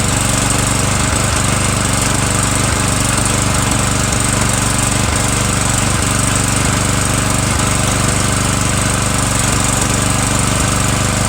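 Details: Murray 17.5 hp riding mower mowing with 42-inch deck and new deck belt, small gas tank leak: loud steady engine drone with deck whirring under load, no misses or grinding; PTO clutch slightly sticky, otherwise normal.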